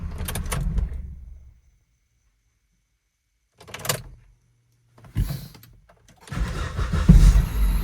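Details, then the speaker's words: 2002 Volvo XC70 2.4 turbo restarted hot at 91° after the cam sensor aperture ring and housing were replaced. It cranks only briefly, fires and settles into smooth running. The long-crank problem is fixed: normal hot start. "Yes! Long crank fixed."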